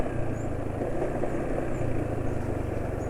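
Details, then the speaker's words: Steady diesel idle just after changing oil to Upsol M40 SAE 40 with NRO additive: dry, uneven clatter over the low rumble; owner thinks it comes from the front of the engine rather than the piston, possibly still the piston; unconfirmed. "Ini asak-asak yang terdengar rasanya kok bukan dari piston tapi dari bagian depan ya."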